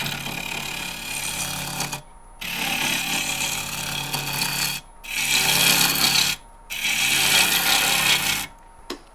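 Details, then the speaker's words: Lathe turning a dry, highly figured English walnut bowl blank at about 1050 RPM while flattening the bottom: harsh, choppy bursts of cutting as the gouge hits high spots from a bad band saw cut. "You can hear where the uh where I had a bad band saw cut there. So, we're going to get past that real quick."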